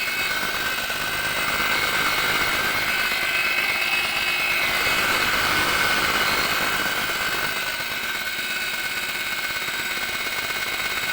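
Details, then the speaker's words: Lada Granta, 81,000 km, cold engine idling: steady high whistle and hum when the clutch pedal is pressed; owner reads this as a failing clutch release bearing. "пошел свист и гул на холодную при отжимании сцепления сейчас заведу покажу скажу однако"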